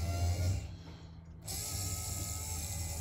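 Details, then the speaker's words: Rear quarter power window mechanism from a 1964–66 Thunderbird convertible, run on the bench after being taken apart and reassembled: smooth, steady motor whir with no spring crackle, squeak or rattle, only the motor heard; working normally. "i don't hear the spring at all only the motor i like that i like that a lot very good customer will be happy"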